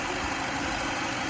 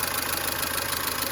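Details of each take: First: Mercedes-Benz W212 M271 at idle, after StopTech coolant stop-leak and an oil change: smooth, even idle hum with no top-end ticking; the knocking stopped and coolant loss ended. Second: Mercedes-Benz W212 with M271 engine at idle, oil level full: quick light ticking from somewhere up top as the hydraulic lifters knock again; owner suspects antifreeze getting into the oil and plans Liqui Moly Stop Leak plus lifter additive.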